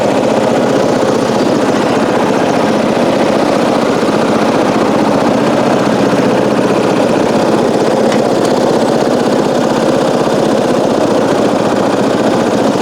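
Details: 1994 Coast to Coast riding mower with a Briggs & Stratton engine, revived after years abandoned, new spark plug, gas of unknown age, being driven: smooth, even running at a steady speed with no misses, knocks or surging; normal running.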